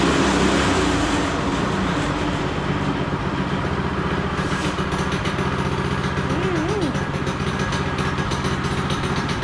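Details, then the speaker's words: Child-size go-kart single-cylinder engine, sat for years, after new carb, new throttle cable and fixing overstretched throttle return spring, probably warm: drops to steady even idle with no hunting or racing; idles properly. "So now it actually returns. That should bring it down to idle pretty nicely."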